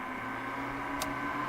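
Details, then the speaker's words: RV vent fan, six-speed, at full speed in out mode: steady even hum without the whining, clicking noise its speed control makes at lower speeds; normal. "once it's in full, it's kind of doesn't have the speed control anymore, so you don't really hear that."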